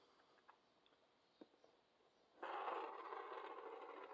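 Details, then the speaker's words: HO slot car axle rolled slowly across a box to amplify the sound: a soft, even rolling hiss with no rhythmic wobble or thump; this is the straightest axle tested, running true. "see that sounds pretty good didn't have all that wobble blah blah blah wobble sound see that one sounds probably the straightest they didn't have no wobbles on at all"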